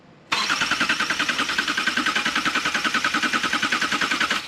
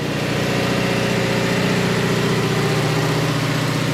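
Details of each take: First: 2018 Subaru Crosstrek freshly installed junkyard engine: cranking in clear flood mode, injectors not firing, to build engine oil pressure before first start; steady starter chug about 3.5 beats a second, even rhythm, no firing. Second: 2018 Subaru Crosstrek junkyard engine just started after swap: slightly loping idle while oil that ran past the valves from the engine being tipped over burns off in the exhaust; idle soon drops and check engine light appears.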